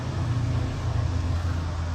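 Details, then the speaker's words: Early-2000s Buick cruising on the highway; torque-dependent low moaning howl mistaken for a wheel bearing, caused by a bad motor mount letting the engine twist and ground the exhaust against the body; stops off the throttle. "the moaning noise is because your engine is twisting and grounding the exhaust up agai"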